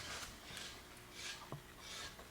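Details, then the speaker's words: Dodge Caravan rear hub spun by hand on the opposite, good side to a worn-out rear wheel bearing: only a soft, even swish each turn, no grinding or roughness; normal wheel bearing. "let's compare this to the other side real quick which is not a completely worn out wheel bearing and you'll notice that when you spin this"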